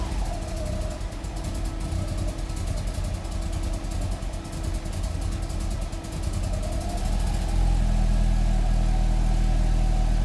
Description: Fiat Coupé 1994 16VT rough idle, exhaust leak and almost cutting out.